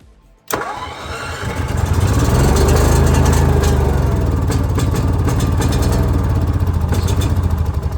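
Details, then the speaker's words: Onan generator with year-old gas, after priming: cranks, catches into a low, uneven chug that lopes and stumbles; hard starting and rough running, stale fuel suspected, hoping fresh gas cleans the carburetor. "trying not running good but man that gas has been in there for a year so I'm hoping some of that good gas will come through there clean that carburetor a little bit"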